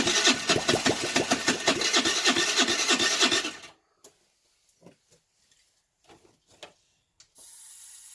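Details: 2008 Baotian Tanco 50cc four-stroke scooter, half gutted, with fresh fuel: steady raspy cranking about three turns a second for nearly four seconds, no catch; plug keeps getting wet, flooding, owner suspects a fouled carb.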